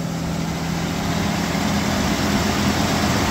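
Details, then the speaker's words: 1989 V6 Mitsubishi Pajero, first cold start after three days sitting, new stainless extractors and exhaust studs replacing leaking manifold: steady even low idle hum, no puffing or ticking at manifold; exhaust leak gone. "no more exhaust leak how good is that"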